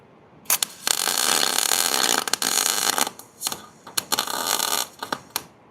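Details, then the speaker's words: MIG welder after turning the speed down: crisp, even sizzling crackle in bursts with no popping, normal arc sound, though it burned a hole in the metal. "See, that sounded way better. And it burned a hole in it."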